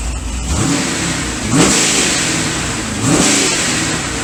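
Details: C6 Corvette V8 after piston replacement and new heads: two sharp, clean rev blips over a loud exhaust with no knocks or misses. It sounds healthy; oil pressure good, still needs a tune.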